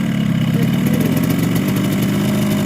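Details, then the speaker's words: Recently bought Yamaha RX King two-stroke at idle: rough, uneven rattle with a hard metallic edge, heard as piston slap. Bike is rough with no power on climbs; over-wide exhaust port from bad porting, so block and head are replaced. "ini ada RS King baru beli dengan harga R juta tapi bunyi sedikit kasar dan tenaganya tidak ada sama sekali jadi ditanjakan itu gasnya itu kosong"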